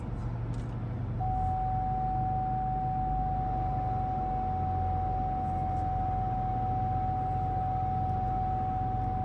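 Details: 2020 Lincoln Navigator at low speed when first driving: low road rumble at crawl, then a single sharp loud pop from the front end; front end problem.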